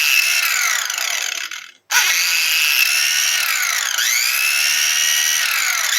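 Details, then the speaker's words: Makita angle grinder making a strange noise: the high-pitched motor cuts out briefly, then restarts and surges unevenly, sometimes running badly and sometimes fairly well; a failed bearing is suspected but not confirmed. "Percebe? Tem hora que ela liga ruim e tem hora que ela funciona até bem. Mas não é para funcionar assim, é para funcionar redondinha."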